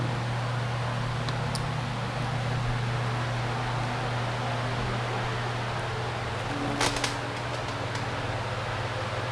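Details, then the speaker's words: Polaris 9550 pool cleaner run out of the water: even, steady low hum with constant pitch, no knocks or grinding; the motor works. The fault was the controller, not the motor. "i think it's working [Applause] all right all right so i think that's actually kind of working man"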